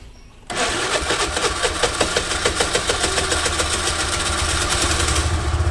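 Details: Motorcycle that wouldn't start in the morning: catches right away, slightly uneven ticking idle; hard start probably due to the spark plug.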